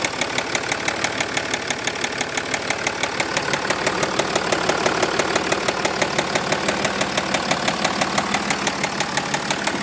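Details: Jaguar XF S 3.0 V6 diesel 275: a steady, sharp, evenly spaced knock about three times a second over the diesel idle; engine knocking, source not identified.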